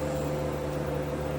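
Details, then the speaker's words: MKIV Toyota Supra power window, car on, switch pressed up with window stuck down: steady electric whir at one pitch, plus scraping, but glass doesn't move; owner suspects glass has come off its track, not confirmed. "Nothing. You can hear the movement, but really nothing else. It's down. There's scraping and everything like that."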